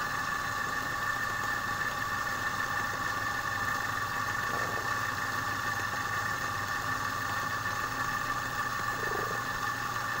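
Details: Air compressor that had jammed and stopped from a stone lodged in the valve against the piston, running after repair, pressure gauge near 1.7: a steady, even hum with a constant high note and no knocking; normal running.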